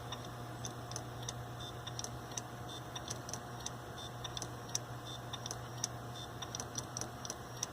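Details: Hitachi hard drive, about 7 years old, failing in a Linux mdraid RAID1 array during replacement: faint irregular ticking clicks roughly once a second over a steady low hum; age-related failure suspected.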